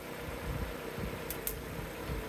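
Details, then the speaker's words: Four-cylinder car idling in driveway before 40 amp fuse-kit short test on its battery: quiet, even low rumble, no knocks or misses, a couple of faint clicks; normal idle. "let's do 40 amps here's the soothing sounds of the four cylinder again"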